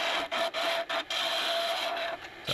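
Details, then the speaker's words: Wood lathe turning a long, thin spindle pointer at slowed speed: a rasping cut with a steady high buzz and short dropouts as the tool skips. This is chatter from the thin workpiece flexing. "if you listen carefully you might really hear that chatter as it goes across there"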